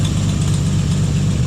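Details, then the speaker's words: 1954 Chevrolet 4100 grain truck, 235 inline six, first start in 18 years running on 18-year-old fuel after new battery and cleaned points, exhaust manifold leak: deep, steady low idle with an even beat and no stumbles; normal idle. "can't believe it's running off that 18 year old fuel"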